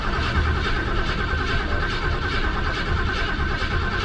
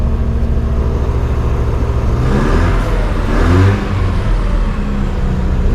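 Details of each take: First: 1968 Lincoln Continental, unstarted 2–3 months: steady low cranking churn with no clean catch, given a little gas; extended cranking after storage while fuel is pulled back up to the engine, normally runs fine. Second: Car from a collection, last driven about 2 months ago: steady low engine note rising and falling smoothly through a couple of blips, no knocks or rattles; normal running and revving, runs great.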